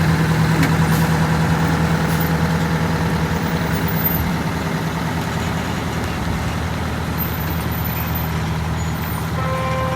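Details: Detroit Diesel 8V92TA two-stroke V8 in a Wanderlodge bus, started after blower removal, rear blower seal and gasket replacement, and a radiator hose clamp tightened: steady, even low rumble with no misses or knocks, brief air hiss; normal idle.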